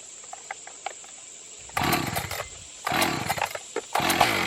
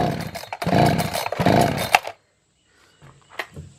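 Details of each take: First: Echo CS 590 Timberwolf chainsaw that would not start, after fitting a new carburetor with no tuning: catches quickly and rips through three clean, crisp throttle bursts with no bogging or stumbling; running properly. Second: Echo CS-590 (Timberwolf) chainsaw on premix fuel, no starting fluid, after the carburetor was adjusted and fuel turned up, at wide-open throttle: ragged, uneven surges, then it cuts out and falls silent. Owner suspects a fuel problem or bad carburetor and plans to replace it.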